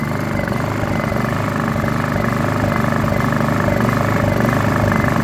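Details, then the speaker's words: Honda EU2000i generator that sat about 3 months, with a varnished carburetor bowl and dirty jet. In eco mode the small engine idles unevenly, surging and hunting without settling, before the carburetor is cleaned. "surges can't find a happy place so we're going to take the car carb part clean it"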